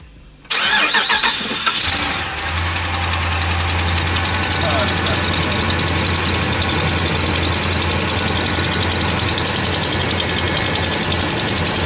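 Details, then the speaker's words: Dodge Ram Hemi V8 cold start after sitting about a week: sharp, rapid ticking at idle from the passenger-side exhaust manifold leak, faint tick that disappears once warm. "I want you guys to hear that sound it sounds awful here we go guys all right listen to this ridiculous noise"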